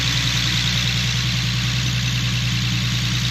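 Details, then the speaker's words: Infiniti G37 with VQ37 V6, idling after new knock sensors and sub harness: steady, even idle with a smooth low pulse and exhaust hum, no knocks or misses; owner says the exhaust is sounding good. Normal idle. "Yeah ant looking good exhaust is sounding good"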